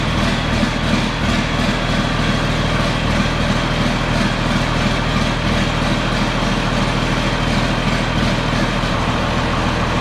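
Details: John Deere 4640 tractor diesel idling after being split for a week for a 2-speed transmission transplant; deep steady clatter holding an even idle, no misfires or knocking: normal idle.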